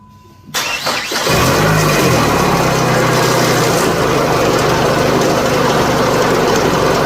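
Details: 2004 PT Cruiser 2.4, started during cam/crank scope test: loud, rough, rattly noise over the idle without changing; the tensioner is hoped to have failed, unconfirmed.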